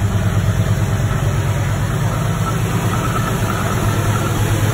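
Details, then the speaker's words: 1987 Ford Mustang Fox body 5.0 V8 with new battery and little coolant, just started: steady, even low rumble, smooth unbroken idle without stumbling or cutting out; idling healthy. "Yeah. It's idling good, it's not cutting out."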